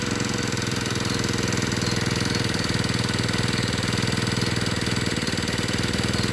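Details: Two-stroke brush cutter that ran but would not spin its blade, after replacing the clutch drum, shaft and bearing: an even, buzzy run at steady speed with a regular pulse and no grinding or rattle; running healthy.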